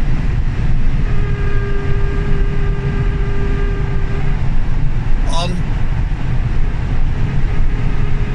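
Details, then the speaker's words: Three-week-old Tesla Model 3 Performance: horrific thin whine from the rear drive motor on overrun, lasting about three seconds after lifting off the throttle from 75 mph over road roar; drive unit whine, will go back for repair. "basically uh we've got a wine off the rear drive motor um and it's a horrific noise it's on the overrun or say on the overrun it's when you let off so if i accelerate up to 75 miles an hour and then let off the throttle it makes this noise"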